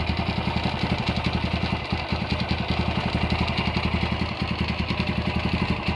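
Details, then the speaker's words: Honda GL100 (GLK 100) engine from Palembang, stock CDI, before restoration: uneven rattling pulses ride on the single-cylinder idle from the clutch side, pointing to a loose primary gear. The head is fairly quiet; the engine smokes and seeps oil underneath. "Ini kendalanya seperti yang tadi kita dengar, suaranya berisik di bagian kopling ya."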